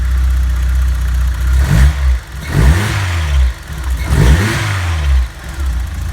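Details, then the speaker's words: 1991 Vauxhall Nova GSi, original 1.6 8-valve engine, cold start after months off with fresh fuel replacing the old fuel that made it run rough. Clean revs rise and fall smoothly with no knock, misfire or stumble. Running sweet. "now i put some decent fresh fuel in it it's running sweet"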